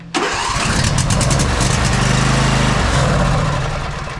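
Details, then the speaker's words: Husqvarna YTA24V48 tractor, 24 HP Briggs & Stratton V-twin, sat all winter: engine catches on starting fluid, runs seconds unevenly, then dies; fuel problem, fuel solenoid felt no click. "so what I'm going to do to see if it's a fuel related problem if it fires and dies that means it's a fuel problem"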